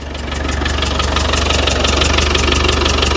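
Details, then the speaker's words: 35-year-old Land Rover Defender 110 diesel at idle: regular sharp ticking puff about three per second, gases spitting out at back of engine with oil around; owner suspects head gasket; ticking or puffing noise at idle. "now I don't know what that noise is it's probably not good I think the head gaset need replacing because I come to the back of the engine here just down here there's like a spitting"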